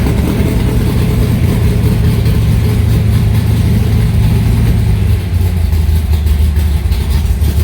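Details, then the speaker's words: Alumacobra (Cobra replica) cold start after sitting a few months, in garage: loud, deep, steady rumble easing as it settles, no knocking or misfire; normal cold idle. "It gets smoky in here, so that's why I don't start it too often."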